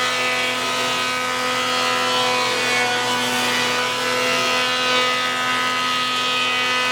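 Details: 53-year-old Powermatic planer with a 2 hp, 220 V, 3450 rpm motor drawing 11.2 A at 230 V, double belt drive: smooth, constant hum and clean whine, no rattles. Normal running.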